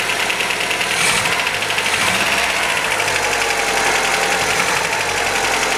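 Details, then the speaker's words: 1977 MGB running properly for the first time in about six or seven years after a rough timing adjustment, with good oil pressure. A fast, light metallic ticking rides over a steady idle: tappet rattle to be fixed by adjusting the valve clearances. "we'll do the timing properly in due course but she sounds good A bit rattly as I say but we can get that sorted that's the tappets"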